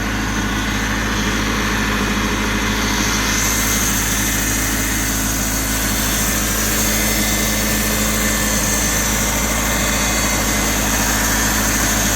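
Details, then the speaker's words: Roughly 40-year-old Ford Capri turbo, started after 15 months off the road: smooth, even idle with a steady low rumble and a faint constant whine from the power steering pump, blamed on a kinked pipe; no knocks or misses. "This engine's sweet, isn't it?"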